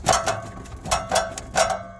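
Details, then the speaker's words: About 2007 Toyota Highlander: sharp metallic clanks with a brief ring as the loose exhaust flange is shaken; the worn gasket leaves play, and the rattle occurs when put in gear. Fix is a new flange gasket. "the noise is coming from and it's tricky because it does that when i put it in gear"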